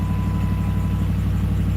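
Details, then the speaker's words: Truck repeatedly in the dealership: low, lumpy, terrible-sounding idle with a steady stumble; only the scanner reports the fault, as the cleared check engine light stays off. "Um, so you know, she's also grumpy because she recognizes that this is going on, but She works, but she sounds terrible."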